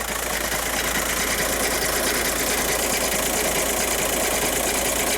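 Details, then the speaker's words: 2014 VW Jetta TDI diesel, almost 300,000 miles, with the emissions fix parts, idling under the car: an uneven, loping knock about two beats a second, a worn dual mass flywheel that sounds like a galloping horse. "This dual mass flywheel kind of sounds like a horse galloping."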